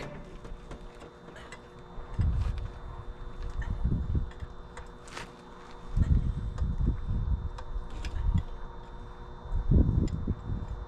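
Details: 1977 Peterbilt 359 diesel after sitting 20 years, batteries on a charger, injector lines bled of air: slow heavy cranking in three bursts of a few seconds, turning over without firing, crank no start.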